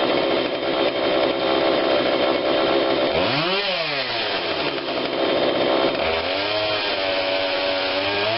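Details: Husqvarna 142 40cc chainsaw, long unused, after repair and carb tune-up while warm: full-throttle scream that dips and climbs back cleanly with crisp response, strong and even; low adjustment seemed unneeded; normal running.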